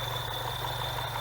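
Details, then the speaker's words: BMW 116/316 engine at idle, before repair: steady high-pitched belt-like whistle over smooth idle, stopping when the oil dipstick is pulled; not the belt but a faulty PCV valve diaphragm in the valve cover. "e fala galera BMW 116/316 motor assoviando parece Correia certo problema pode dar também nas BMW 320d motores PHP certo"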